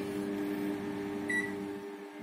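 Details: LG MS1949G microwave after repair of sparking (cap replaced, insulation cleaned), heating water: steady even low hum with one short beep, no crackling or snapping; normal operation without arcing.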